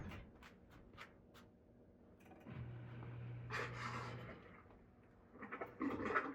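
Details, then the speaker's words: Dishwasher being removed and winterized, water supply shut off and RV antifreeze poured in: amid sloshing, the drain pump hums steadily about two seconds, pumping out the remaining water normally. "and so I'm going to pump out any remaining water and you'll hear the pump go for a few"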